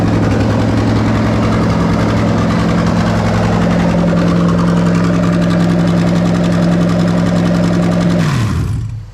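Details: 2005-2007 GS430 3UZ-FE VVT-i V8 on Link G4+ X-Treme ECU, freshly rewired: smooth, steady idle with even low hum, no ticking or stumbles, then clean shutdown; engine sounds healthy.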